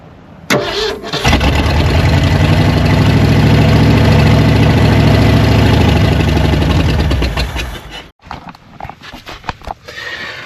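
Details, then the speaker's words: Old Ford truck with new carburetor: steady starter cranking, about four turns a second for seven seconds, with no firing. Fuel starvation: the clogged line pulls only sediment and no fuel despite 2.5 gallons in the tank. "So we tried 3 or 4 times. It's only kicking up some dirt, some sediment. It's not pulling no fuel whatsoever up through here."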